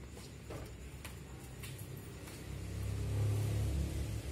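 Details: Engine started after its ECU/ECM was unlocked: quiet rhythmic cranking, then it catches and settles into a low, steady, even idle. It starts and runs normally.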